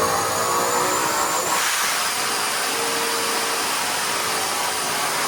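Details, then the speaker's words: Marketplace Mustang with newly built engine and built transmission, hot on the dyno at full load to about 7,500 rpm: engine screams, then pitch suddenly drops. "So my car would go 1, 2, and then all of a sudden, at the top of second, back to first."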